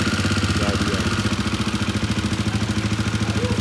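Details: Royal Enfield Himalayan 450, about 14,000 km, at idle: loud fast even clatter, pulsing about three times a second; top-end rattle, service center suspected tappet or shim issue.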